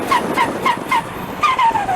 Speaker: do you want turbo flutter in your car because it's one of the coolest sounds ever